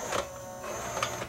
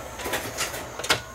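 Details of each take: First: Pioneer CLD-M90 five-CD/LaserDisc changer that will not load a LaserDisc: thin high whine with soft whirring and clicks as the loading mechanism strains without moving properly; the drive belt is slipping. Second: let's plug it back in Power It Up and see whether it will load my laser disc this time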